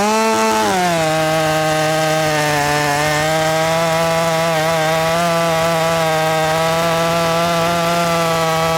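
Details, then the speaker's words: Ported Poulan Pro 4620 chainsaw with 18-inch bar during carb adjustment: revs sag sharply, then hold lower and waver under load; fuel starvation because the tank was not venting, with fuel leaking and hissing from the cap. "running out of fuel. It's running out of fuel. Something's going on with that carb."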